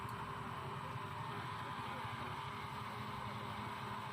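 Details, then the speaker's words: Philips blender after leak repair and bushing replacement, water-filled jar, running with speed turned up: steady, smooth motor whir with no rattle or shrill edge; no leak; a rough, shrill sound would indicate a loose bushing; normal running. "Hai Jelly suaranya juga halus ya jadi apabila suara yang kasar bertanda besinya udah longgar"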